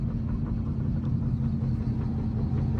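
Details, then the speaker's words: Dodge Charger R/T with ProCharger supercharger, driven after years of sitting and a new crankshaft position sensor; low steady droning rumble while driving, no clear knock; owner suspects bad wheel bearings or tyres, not confirmed. "oh that sounds really bad that sounds really [ __ ] bad holy cow"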